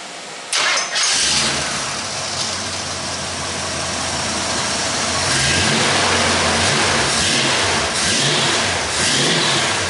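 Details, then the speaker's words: 1967 Ford F100 Ranger V8 after starter wiring and electrical gremlin work: quick crank catches at once and settles into a smooth, steady idle with slight throttle swells; normal start and idle. "I plugged it back on there, got in there, the thing fired up perfect."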